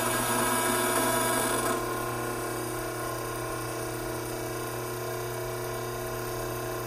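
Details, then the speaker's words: Hydraulic pump just after the inlet restriction is opened, ending cavitation: rough, agitated hiss settles within seconds into a steady, even, clean hum. Vacuum and pressure gauges return to normal. "immediately we can hear the dramatic decrease in agitated sounds coming from the pump both vacuum and pressure gauges have returned back to their normal operating condition"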